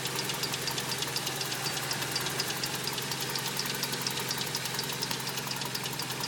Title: 22RE mystery noise... timing chain?